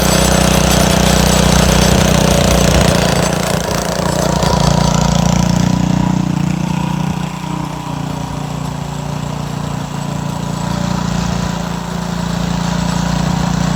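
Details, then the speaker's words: Montgomery Ward rototiller with a suspected fuel or carburetor problem: the single-cylinder thumps and sags unevenly, never settling to a steady beat; rough running, owner suspects water in the gas, and the fuel looks milky and cloudy. "I think it's got water in the gas. That's what I think it is."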